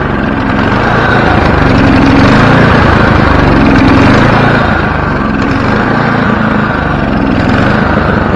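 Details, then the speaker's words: Snowblower small single-cylinder engine started with one pull after carburetor cleaning and bending a part near the hot exhaust to fix surging: even, steady beat with no hunting. Surging fixed; normal running. "so i got the engine surging figured out and now it's on to the belts"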